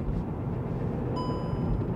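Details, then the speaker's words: VW Polo R-Line salvage rebuild on first short test drive around 30, needing wheel alignment: single clear high chime over low road rumble; traction control warning because the steering angle sensor is completely off. "yep you heard that just now that is the because the angle sensor is going to be completely off so the traction is screaming at me"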